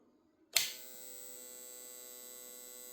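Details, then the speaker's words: Vintage Tripp Lite Powerverter PV 550 DC-to-AC inverter: click on switch-on, then a loud, steady high-pitched buzz that never changes pitch; works but buzzes abnormally. "seems to work fine but there is a I would call it a loud buzzing noise yeah I'm not going to say it's a light buzzing noise"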